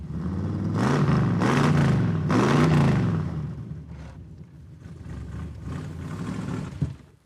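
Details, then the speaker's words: Roadkill Pro Street car driven just after being started, possibly not yet warmed up. The deep V8 rumble rises and falls unevenly and pulls lumpily under acceleration. It runs pretty bad; the cause is unknown, and they suspect it needs warming up. "That does not run good at all. It runs pretty bad."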